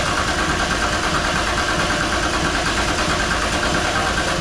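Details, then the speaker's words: VR Commodore with a swapped RB engine and new injectors, cranking after a fuel-delivery check: steady starter churn that never catches, as the injectors get no fuel; crank, no start. "no fuel no no they're not getting fuel wonder why"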